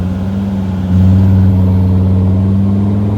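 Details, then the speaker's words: T1N Mercedes Sprinter diesel at full throttle: low steady drone holds flat, then jumps louder as boost arrives late and the van jerks; owner suspects the turbo sticking and unsticking from damaged vanes. "so right now you can see hesitation right here i am pressing it full and finally it opened up and now you kind of see what happened right there it seems like it got quickly stuck and unstuck caused the vehicle to jerk a little bit"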